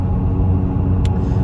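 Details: Opel Astra driving: deep, steady droning rumble in the cabin; owner suspects a wheel bearing, as the noise changes with braking and pedal input and is ruled not gearbox, unconfirmed.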